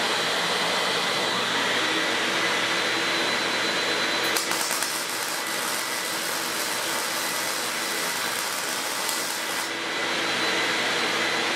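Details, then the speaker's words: Auction-find Lincoln Electric X-Tractor 1GC fume extractor, wired for 120 V (15 A on high), in auto mode on low: a steady, high-pitched airy roar running evenly, with a brief welding crackle midway as welding triggers suction. It works. "when you start to weld, it starts sucking. And this thing sucks. But it moves a high volume of air at low speed"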